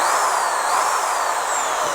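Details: Dewalt DW890 shears found in the trash, test-run after being cleaned and reassembled: an even, high-pitched motor whine with small, smooth pitch swings and no grinding or rattle; runs freely and healthy.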